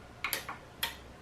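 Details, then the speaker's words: Onkyo TX-SR501E receiver, after a no-power-on fault was fixed by stitching a wire: it powers up everything first, then the speaker relay pulls in with a few crisp clicks, showing the audio circuit is okay. "by the way pay attention it is first powering up everything and then it is powering out the relay of the speaker which means that the audio circuit is okay"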